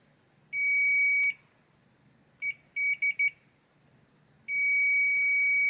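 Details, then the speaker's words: Hisense air conditioner board with an inter-processor communication error: after the damaged track is rebuilt with flux, the continuity tester gives a clean high beep of about a second, short chirps, then a long tone; the track now conducts. "Ok we have continuity at this point let's go and see there it is it's ok"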